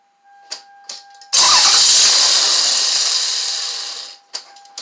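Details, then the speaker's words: 1999 Toyota Avalon with P1300 and check-engine light on: after the key is cycled and throttle applied, a couple of short cranking bursts, then it catches and runs evenly. Hard starting from an ignition coil wiring fault. "all right so I cycled the key off and on the first time I started up the second time I gave the gas and it hit and started up"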